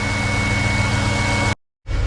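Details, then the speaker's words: BMW X5 restarted after fitting the last ignition coil (iridium plugs from the 535 used until new Bosch parts arrive): starts easily and idles steady and smooth with a low even rumble, no misfires; healthy idle. "Right, it's time to see if it'll start again. Woo. Easy. Smooth. No misfires."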